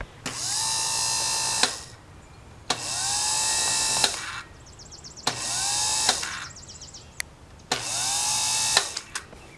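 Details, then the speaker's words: Starter from a Hechinger (MTD) riding tractor with 18 hp twin, bench-tested on a jump-starter: four short runs whirring up then holding a thin, modest speed; weak but better than before. "is a pretty weak starter you can tell but it's better than it was"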